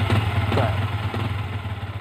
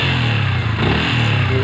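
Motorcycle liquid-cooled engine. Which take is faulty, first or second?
second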